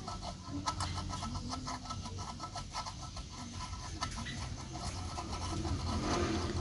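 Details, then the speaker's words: Yamaha Jupiter Z engine teardown during restoration: old bearing spun by hand after greasing gives a gritty rasp repeating each turn, catching at one spot; worn, sticking bearing judged dangerous and worth replacing. "Ternyata ada satu putaran dia macet, Guys. Nah, itu berbahaya sih."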